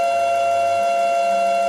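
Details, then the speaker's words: Yaskawa CPCR-MR-152G DC servo drive running a motor not designed for it, servoing back and forth with both contactors enabled. A loud, steady high-pitched motor whine, suspected to come from the drive-motor mismatch. "the motor when I do that it's noisier you hear that now this isn't the motor that was designed to work with this Drive right here so I imagine that's all part of that mismatch from why we're making so much noise when we servo back and forth like that"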